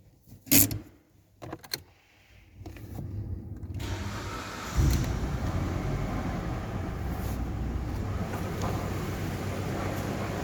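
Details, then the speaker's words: Mitsubishi Lancer 10: the engine starts and idles with an uneven crunching knock underneath. It sounds like the timing chain, but visual inspection showed a worn water pump. "Похожий звук на цепь, но это по визуальному оказалась помпа. Думал, цепь гремит, а это помпа."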